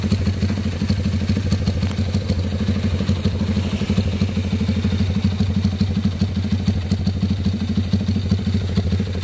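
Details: Honda CB with newly fitted PE 33 Jumbo carburetor: even, steady exhaust pulses at idle with constant low beat, no stumbles or misses; carburetor idling cleanly.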